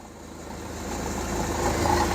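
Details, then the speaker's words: Hyundai 30L-7M forklift with GM 3 L engine, running extremely rich with check engine light: low, slightly uneven rough idle, some delay on throttle snap but no bogging. "it's running a bit rough at rido it has power but kind of has a delay so no bogging down on the engine"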